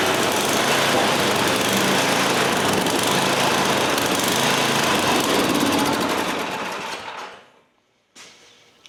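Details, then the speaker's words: MTD Yard Machine snow blower started after drive repair: fast fairly even beat, then fades and dies within a second because the fuel shutoff was left off; stalling from fuel starvation. "Uh-oh. Helps if you turn the gas back on. Would help if I turn the gas back on."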